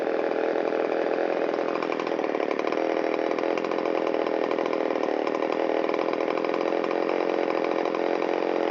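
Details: Shindaiwa 360 chainsaw, long-stored, Walbro WT-89 carburetor, reassembled with air filter and cover, idle checked on both crankshaft sides to test crank seals: steady, even idle with no hunting or surging. Normal idle.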